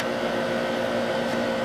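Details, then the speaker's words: HVAC condenser, bad contactor replaced, hooking up live 24 V control wire: steady hum then one sharp click as the new contactor pulls in cleanly; normal. "when I hook this one up you are going to hear that contactor click in because this 24 volts is live"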